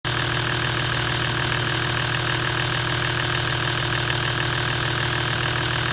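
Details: Toyota 1HD-FT diesel at idle: quick, even metallic rattle riding on every combustion beat. The source is suspected to be the timing gear or the injection pump.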